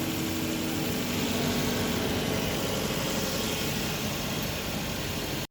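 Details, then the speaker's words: 2024 Suzuki Baleno smooth, even idle with no shaking, rattle or drumming after replacing the worn engine support; strong vibration previously felt at the front and steering wheel is now gone. "So ayan okay na. Wala ng vibration. Ito wala na. Dati ang lakas ng vibration dito sa harap sa steering. Ngayon wala na."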